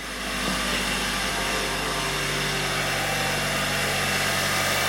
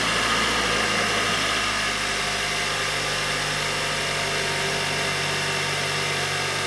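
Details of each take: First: 2019 Hyundai Sonata SE, cold start before Amsoil engine flush and oil change: loud run with busy fast ticking about four per second over the engine; owner suspects noisy cam phasers. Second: 2019 Hyundai Sonata SE, first start after Amsoil engine flush and Amsoil 5W-30 Signature Series full synthetic fill: smooth steady idle with light fast even ticking about four per second; normal fuel injector tick, engine sounds happier.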